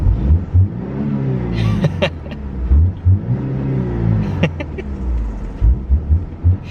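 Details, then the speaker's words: BMW 318i E46 Touring, revving with intake roar: repeated quick blips that rise and fall cleanly, no rattle on the way down; engine now revving smoother. "anyway it's revving smoother it's feeling a bit more like a fun Force"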